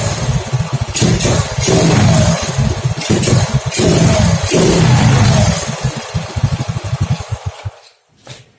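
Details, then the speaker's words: Honda Grand motorcycle with a new original CDI fitted, revving in uneven stuttering bursts that cut in and out; the misfire persists, and the CDI is not the cause, the coil having tested normal. "Oke, ada berbetnya."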